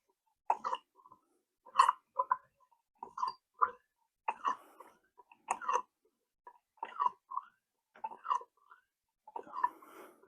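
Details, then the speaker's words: Boom Vader 125 Grom clone front fork after the factory fork oil was swapped for heavier oil: wet gurgling squelches with each pump stroke as trapped air is worked out of the damper, which stiffens as it fills. "We do need to pump the damper. Get it pumped up. And you'll hear it gurgling. And you want to pump until it don't gurgle."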